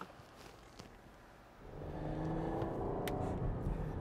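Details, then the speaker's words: 2018 Chrysler/Dodge Caravan minivan, 75,000 miles, after misfire repair on cylinder three, test drive; quiet start then smooth pull-away under light throttle with an even note, scanner showing zero misfires: normal running. "All right, so far so good. I don't see anything crazy going on. Sitting at zeros on the misfire."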